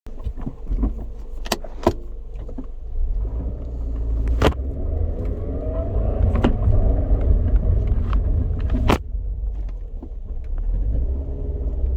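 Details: 2007 Scion tC running with a rough, low grinding rumble that swells and eases, broken by occasional sharp clicks and knocks; cause unknown.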